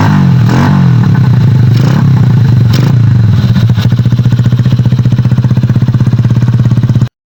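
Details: Honda Bravo 100 motorcycle after removing the noisy starter gear: quick throttle blips then a steady, even single-cylinder idle with no rattle from the starter side.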